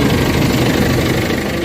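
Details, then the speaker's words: Isuzu MU-X diesel idling: rough, uneven rattle and vibration from underneath that disappears when the clutch pedal is pressed; transmission then removed for clutch inspection. "Aapakan ko 'yung clutch. Oh nawawala yung tunog. Apak tumatahimik. So yan ang ano problema."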